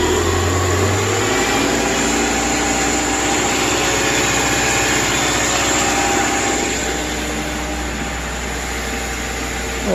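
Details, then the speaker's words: 2010 Subaru replacement engine idling after install, coolant 53 degrees, idle a little high, battery low: lumpy, wavering idle pulse, running rough with a little smoke and smell burning off; no check engine light, no leaks, cause unclear. "running rough there a little smoke I guess from uh stinks whatever that is no check engine light flashing or nothing"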